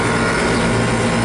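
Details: York rooftop unit running just after its compressor was replaced. Steady, low, even hum with no knocking, rattling or short-cycling; the new compressor sounds healthy.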